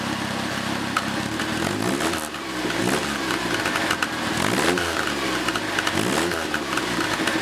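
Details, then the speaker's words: Second-hand Triumph Dolomite 1300 engine just fitted to a Gentry MG TF Replica, first run, warmed up: crisp, even exhaust burble rising and falling smoothly as the throttle is blipped, no knocks or misfires; a healthy, sweet exhaust note. "Sounds really sweet. I'm really pleased with that engine so far. Well, let's see if we can just let you hear this nice exhaust note that she's got."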